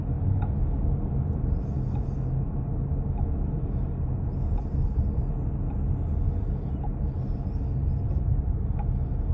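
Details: 2023 Chrysler Pacifica 2WD minivan: faint light clicks about once a second under low road rumble when gradually pressing or releasing the gas pedal, caused by a loose front axle nut that won't stay tight despite repeated dealer visits.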